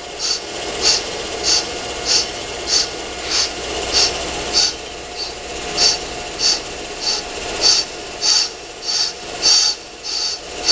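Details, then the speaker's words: Accuturn brake lathe resurfacing a brake drum: with zero set, the cutter is rotated to the drum's back side, and a light rasping scratch recurs about every 1.3 seconds, steady each turn. The bit is lightly touching the drum all the way round. "get the light down so you can see and you can hear it constantly scratching as it's going"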